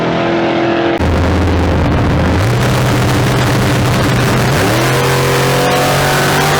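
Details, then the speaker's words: Drag car with big-block V8, new tunnel ram, PTC 3800 converter, launching: engine tone jumps in steps and stays high, revs outpacing speed; ran 7.69 at 85.96, unchanged; owner suspects it's blowing through the converter, unconfirmed. "i think it's blowing through the converter it's quite possible blowing through it all right well we loaded it back up it sounds good just blowing through the converter"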